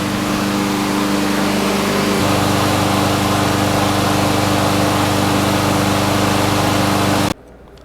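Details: Craftsman mower, Briggs & Stratton Quantum, after a camshaft replacement and about a minute of running, with smoke dying down. Steady, even drone at constant pitch with no misses or knocks until shut off: running normally.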